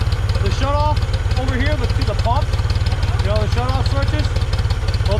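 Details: 1974 Ford 3550 industrial tractor, revived after 18 years sitting: steady, even idle thump at about three and a half beats a second, no knocks or misses, left idling. Normal idle.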